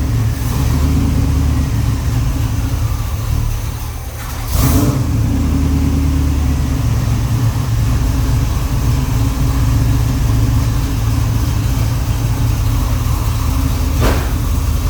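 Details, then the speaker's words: 1979 Pontiac Grand Prix V8 with new carb connection and an oil leak: steady, even low rumble with no skips, hiss or squeal; runs smoothly and healthy. "well it runs really well"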